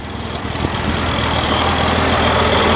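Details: Chevrolet Corvair Monza air-cooled engine started in rain with a new fan belt fitted after the old one was tossed: even, busy rattle building to a steady run with no squeal or slapping; normal running.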